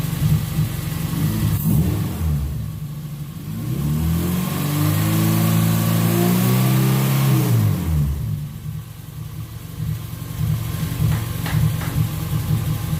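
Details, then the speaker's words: Car after its injectors were cleaned and flow-tested, previously showing a 3,000 rpm idle and lean spike: the engine revs smoothly, holds, then returns cleanly to idle with no stumble or hang; the injectors were the suspected cause. "alright guys so obviously you didn't hear that noise what it was doing before so it was the objective that we're causing these problems all this time"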